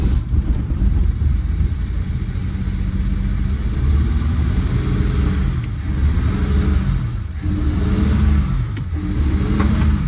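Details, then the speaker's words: Rough, gutless running on a 1974 Dodge Dart Sport slant six, first run after 17+ years off the road: low, uneven note that rises and sags without building revs; acts like both too much and too little timing, owner suspects way too much timing plus a bad intake valve. "still acting like too much timing but also not enough timing you know what that means well it means the firing order could be wrong but in this case it's not so maybe it's way too much timing and a bad intake valve to so"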